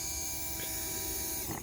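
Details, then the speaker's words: Opel Kadett electric fuel pump, removed, soaked in penetrant and bench-powered from a charged battery after sitting over a year: smooth, steady high-pitched whine with light buzz, no catching or grinding; pump freed and working again. "Et maintenant, écoutez un petit peu quand je fais contact. Voilà, elle fonctionne à nouveau."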